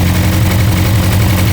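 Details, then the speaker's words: 1977 Toyota Celica with a 3SGE engine on individual throttle bodies, idling during synchronisation: deep, slightly lumpy four-cylinder idle with a misfire-like stumble heard in the exhaust because one cylinder gets far more air than the others. "you can hear it's almost like a misfire you can hear the engine is almost like it's off and that is because one cylinder is getting way more air than these two right"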